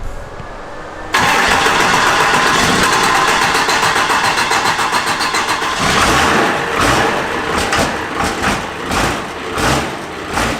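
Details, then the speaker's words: Cummins diesel-swapped Mustang after a new head gasket and turbos, injection timing advanced to about 30° and more fuel added. It starts abruptly and settles into a loud, rattly diesel knock. "We got a lot MORE FUEL ADDED TO IT AS YOU CAN HEAR THE KNOCKING NOW."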